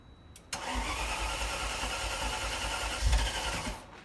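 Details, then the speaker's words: 1987 Ferrari Mondial 3.2, cold start: long uneven cranking that won't catch cleanly; meter showed some voltage but not 12 V, so thermo-time switch suspected of not supplying enough power to energize the cold start injector. "as you saw there when she started the motor i did get some voltage but i didn't get 12 volts that might suggest that the the cold start uh the um i'm sorry the thermal time switch yeah it's giving some power but not enough power to to energize the the cold start injector"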